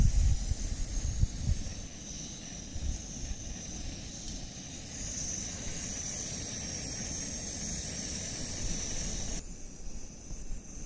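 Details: MSR WhisperLite Internationale 600 stove at full flame boiling a pot of water, near-rolling boil in about five minutes: steady, even hiss-roar with no sputtering or surging until it cuts off near the end; burner healthy.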